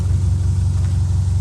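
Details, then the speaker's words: Subaru 2.5 SOHC flat-four, manual, replacement engine fitted after the original locked up from low oil: a steady, smooth low rumble with an even beat and no knocks or ticks; normal healthy idle. "it's neat this is pretty neat sounds good you know i love being the one that gets to save it from going to a junkyard you know i'm glad that i was able to put a motor in it"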